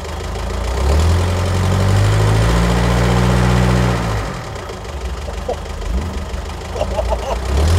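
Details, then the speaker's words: Car first start after fitting Cobalt exhaust manifold and Racing Beat sport cat: picks up strongly, deep even burble, then smooth steady idle with no knocks, misses or hunting; healthy. "I think you'll agree that she sounds absolutely amazing"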